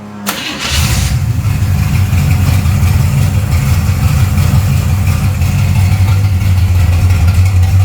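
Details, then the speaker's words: Karla's Camaro V8 starting after a full rebuild (new converter, cam, lifters, rockers, springs, intake, wiring, plumbing, fuel system; valve lash/preload set by Karla): cranks, catches quickly, settles to a steady, deep, even idle with no ticking or misses; everything working. "Not bad at all. Everything's working."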